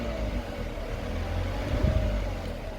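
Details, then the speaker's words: Citroen Relay van diesel at 12,800 miles, idling at lunchtime. A faint light tapping with a fretting sound under the rumble fades above about 1300 rpm, then returns; it worsens with idling time and engine heat. Noise began around 4,000 miles. "it goes for a split second. Now this is only slightly into the day. It's just lunchtime, and this gets worse and worse as A, the engine sits here on idle, and B, as the engine gets hotter throughout the day."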